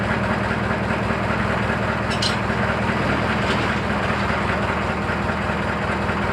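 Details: Briggs & Stratton 18 hp opposed-twin engine, just serviced with a new air filter: steady run with a dull regular chatter of about two to three beats a second, a weird knock whose cause is not yet clear.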